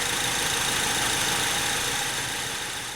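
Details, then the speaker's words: 2003 Honda Civic EX (P1129 MAP code, rough idle, stalling, limp mode) fully warmed up at idle, MAP sensor bouncing about 0.8–0.82 volts; steady even hum with constant hiss, no knocks or misses, smooth idle. "So this vehicle is fully warmed up, and you can see we're bouncing at about 0.8 to 0.82 volts on the map."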